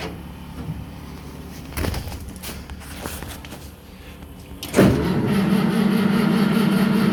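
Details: 1963 Mack gasoline truck, first start after 4 years sitting (suspected bad gas), rag in air intake instead of unhooked choke: cranking bursts and coughs, then catches into a steady, slightly rough run; owner unsure about water pump sound.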